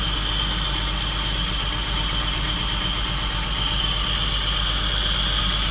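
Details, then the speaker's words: 2001 BMW E46 rough idle with loud steady hiss; owner suspects a worsening vacuum leak; rpm usually hops between 1000 and 2000 then stalls. "Sounds horrible. I had I had some crazy hissing going on, too."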